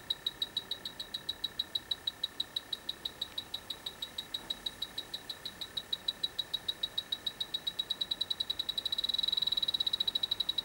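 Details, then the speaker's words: Dry air generator refrigeration system that lost its refrigerant: AccuTrack ultrasonic leak detector beeps rapidly and high, speeding up and merging near the end; refrigerant leak found at the evaporator coil. "Okay, I've got the AccuTrack ultrasonic detector going, and we were picking something up."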